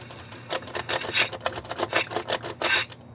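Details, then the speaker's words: 1970s GE model 7-4305F clock radio (hot chassis), first power-up on FM, untuned: about a dozen uneven scratchy crackles in quick bursts over roughly 2.5 seconds; dirty controls. "dirty controls. Yeah."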